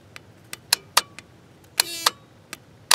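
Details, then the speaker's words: 2000 Ford 7.3 Powerstroke with glow plug issues: relay ground (PCM side) jumpered to ground, sharp clicks every fraction of a second as the relay pulls in and drops out; relay good, PCM not grounding it. "relay kicking in and out so that shows me that this relay is good"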